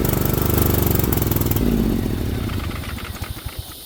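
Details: 50-inch Cub Cadet zero turn that sat a while catches on carb cleaner and runs briefly, then the beats slow and fade out in about two seconds: fuel starvation from an unpowered fuel shut-off solenoid.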